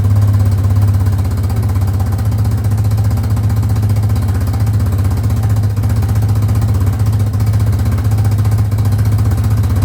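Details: 2005 Yamaha Grizzly 660 ATV after repairs: the single-cylinder thumps along at a quick, fairly steady pulse of about four a second, with no obvious stumble.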